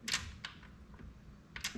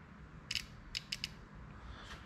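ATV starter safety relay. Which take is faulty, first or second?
second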